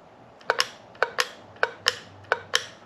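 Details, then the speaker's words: EVAP canister vent solenoid from a 2012 Chevy Express van, bench-tested with a 9 V battery: sharp double clicks as it opens and shuts; clicking means the solenoid is probably good. "essentially on the solenoids if you get that clicking noise you're probably good"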